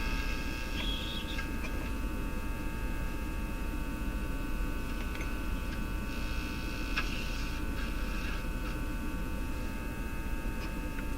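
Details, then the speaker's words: Japanese Zephyr Model 1 tube radio on dim-bulb tester at 103 volts, volume up: constant low hum under faint whistles, different from power supply hum, worse than expected after work done; tube suspected, cause unknown. "Volume up a bit. It's hum. Now that's a different kind of hump from the power supply hump."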